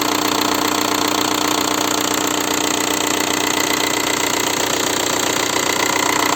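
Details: 1.9 TDI diesel (ALH/AGR/ASV/AHF) idling after an oil change: fast, steady tick about three per second with a hard knock underneath, from worn hydraulic lifters plus piston slap. Rings likely burned by rare 30,000 km oil changes. Lifter replacement nearly cured it.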